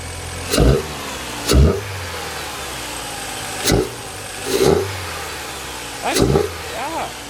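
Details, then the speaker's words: 2005 Mini Cooper R50 after cold air intake install, revved no higher than about 3500 rpm: six quick throttle blips climb cleanly back to steady idle, crisp intake roar; engine revs freely and healthily, sounds good. "so i am very happy with that very happy not only does it look good it sounds good"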